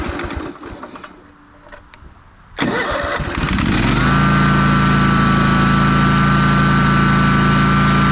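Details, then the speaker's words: Ferris 52-inch walk-behind commercial hydro mower, after carb cleaning and a new bowl O-ring: cranks, catches at once and settles into a steady, even idle; smooth idle and a big improvement. "out that sounds pretty good oh that's a lot [Music] better"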